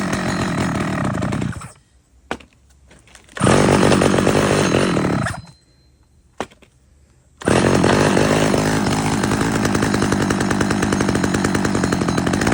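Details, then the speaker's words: Stihl 011 AVT chainsaw, first start: catches and revs unevenly, drops out twice, then runs rough; carburetor out of tune, fixed by adjusting the low-speed fuel screw and idle. "As you can hear, it definitely needed some tuning. So, I took it to the bench, adjusted the the low-speed fuel screw and the idle a little bit"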